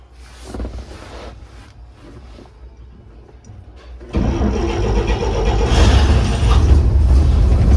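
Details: 1955 Chevy 3100 after long storage, fitted with an electric fuel pump because the manual pump's camshaft lobe is thought to be worn: after a few quiet seconds the engine catches and settles into a steady, rising rumble with no knocking.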